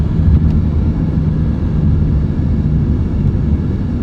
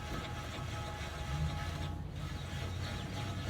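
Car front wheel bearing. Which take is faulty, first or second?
first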